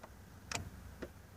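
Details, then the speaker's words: 1999-2003 Chevy S10 crew cab, passenger power window with power on: only faint clicks from inside the door when the switch is pressed, no motor movement; regulator arms jammed after the outer weather seal slipped and let the glass overtravel. "you can hear well a little click and we try the other switch and you can hear that and something's trying to do it in there"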